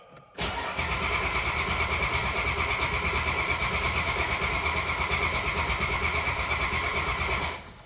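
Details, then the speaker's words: 1987 Dodge Dakota 3.9 carbureted V6 after long winter storage, cranked without choke to build oil pressure: starter spins engine at even rapid pulse about seven seconds without firing, uniform healthy compression strokes; normal cranking. "What I'm doing is I haven't set the choke yet, so it's not going to fire. It's just going to crank away."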